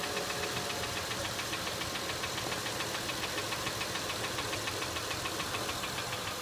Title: acura mdx engine ticking noise sounds